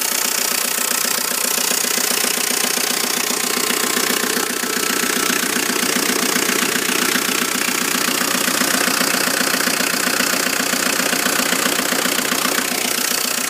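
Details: Volvo S40 1.9 TDI (F8Q) diesel at idle: steady clatter with a regular rattling knock roughly two and a half times a second; engine knock.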